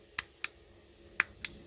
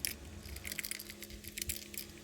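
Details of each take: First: Ferrari F430 centre console parking switch, a working switch compared with the dead hazard switch; two crisp sharp clicks on then off, repeated twice in a quiet room, a clean positive detent. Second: Failed hazard (emergency light) switch removed from a Ferrari F430 centre console: dry rattling bursts like loose metal bits shaken in a small plastic case, its internals broken apart and rattling loose; the switch is being replaced.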